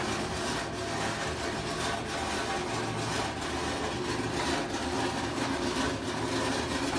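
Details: Brand-new LG washer, installer left shipping bolts in: constant heavy clattering rattle swelling about once a second as the drum turns; washer works perfectly once bolts are removed.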